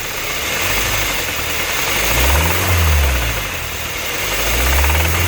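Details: 2015 Kia Optima EX GDI engine running: hissy, busy note with faint rapid ticking knock swelling slightly when throttle is blipped; engine knocking noise, cause unclear.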